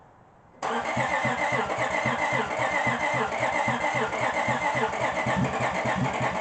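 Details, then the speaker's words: 2005 Honda Pilot, first start after repeated timing belt and serpentine belt work, with oil poured into the cylinders to get compression. Engine catches at once and runs steady with no misses or knocks, making heavy smoke from that oil. "All that smoke is from the oil that I poured into the cylinders to get compression. Woo! It's running now."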